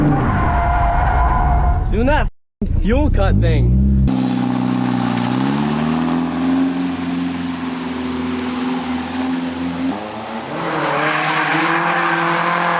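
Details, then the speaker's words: 240SX drift car, in-car, during drift at full throttle: steady drone suddenly dies then returns halfway through the drift, a recurring fuel-cut-like complete power loss; driver unsure if low fuel or too much fuel. "it's doing that fuel cut thing again do you hear it like completely die oh it's so annoying i just lose complete like i just completely lose power and then it comes back like halfway through my drift"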